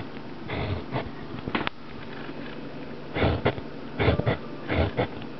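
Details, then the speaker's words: Re-foamed woofer pushed by hand gives scratchy, raspy scraping bursts: the voice coil rubs against the magnet, off axis after a poor repair. "you you can you can hear the the voice coil rubbing against the magnet, which is totally off the axis."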